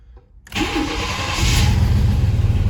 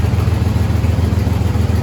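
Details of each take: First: 1st-generation Chevrolet S10 after its catalytic converter was replaced with an unclamped, unwelded straight pipe: cranks, catches and settles into a steady, deep, slightly loud idle with a small exhaust leak; before, it would hardly run. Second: 1st-generation Chevrolet S10 truck idling after catalytic converter replaced with a straight pipe, not yet clamped or welded: loud, raw idle with even low puffing beat and small exhaust leak; before, it would hardly run.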